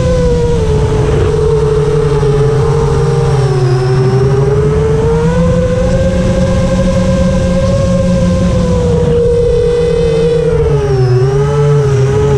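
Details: FR7 FPV quad in flight after tuning with D-min removed, Iterm relax cutoff 10, RPM filter on: clean motor tones rising and falling smoothly with throttle, no raspy edge that D-min had caused; motors healthy.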